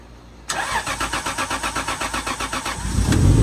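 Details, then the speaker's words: Lexus IS300 just fitted with Link ECU on a Panicmade plug-and-play jump harness, first start: starter cranks about four beats a second, catches cleanly and settles to smooth idle, AFR around 14–14.7. Normal start. "start holy crap yo hey yo it's so smooth now bro first try son"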